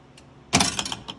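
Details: Star Trek: The Next Generation pinball, owner checking each solenoid for a humming/vibration problem thought to be from the underplayfield diverters: one sharp clack as the coil fires, the ball rattles away, no hum or buzz; solenoid working cleanly.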